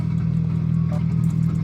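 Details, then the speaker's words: Subaru WRX, FA20 2.0L turbo, at start-up: lumpy, shaking idle with an uneven stumbling beat as a cylinder drops out. The misfire comes from a fuel injector stuck open, found wet on removal. "So, we're going to turn the car on. You'll immediately hear it misfire if it even cranks over easily the first time."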